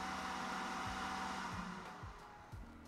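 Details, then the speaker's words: Creality K1 side cooling fan with no muffler: loud steady airy whoosh in the mid tones, peak about 1 kHz, no ticking or rubbing; normal running, just noisy. "okay for the next test I want to see what the peak frequency is of the fan without any mufflers we're getting about 1 KZ from the pan that's the peak"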